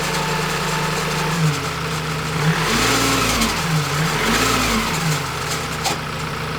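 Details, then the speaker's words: Ford Transit Custom diesel van (bought from Copart, stolen-recovered rebuild) revved in blips: rough whistling rasp rising and falling with each rev from the turbo bearings; oil pouring at the exhaust bottom, catastrophic turbocharger bearing failure before turbo replacement. "you can hear the bearings on the turbo though foreign [Applause] just that's it catastrophic failure sir"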